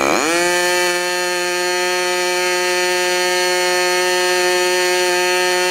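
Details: Modified Clarence Lee K&B .61 glow engine test run just after overhaul: snaps up to a high, steady, clean scream and holds speed without misses or sag; normal running.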